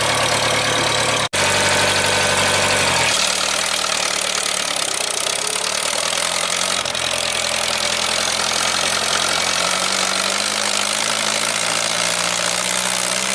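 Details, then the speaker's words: 1975 International Harvester 574 four-cylinder warming up after main jet soldered and redrilled to size 62: steady, slightly uneven idle with soft chuffing exhaust and no misses; still a bit rich with a little black smoke, though better. "so it still seems to be a bit on the rich side I'll talk to my neighbor see if we can Source an oem jet but it's definitely better than you know after the soldering definitely happier so it's usable it's still blowing a little black smoke"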